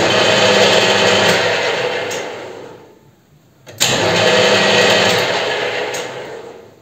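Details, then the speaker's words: WEISAN CJM360 lathe on a VFD-driven asynchronous motor, spindle at 600 rpm with the half-nut engaged. After switch-off the motor whir fades over about two seconds and the spindle freewheels, still feeding the carriage 2–3 mm. "включаем вот 600 оборотов ему и вот смотрите что происходит вращаться так и продолжает сейчас мы даже посмотрим вот выключаю и он ещё мне гонит там я не знаю несколько миллиметров 2-3 мм гонит"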